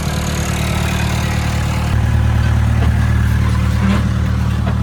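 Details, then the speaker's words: Caterpillar 416 Series II backhoe diesel, started after tightening a loose battery connection and charging the battery: fired right up, steady even low thrum about three beats a second, no knocks or misses; healthy idle. "Well, it actually runs. Fired right up."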